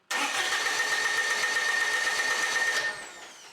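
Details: Warmed-up Kubota BX25 diesel, glow plugs used, cranks evenly about four compressions a second at idle throttle but never fires; starts only when throttle is advanced past a click; faulty fuel shutoff solenoid.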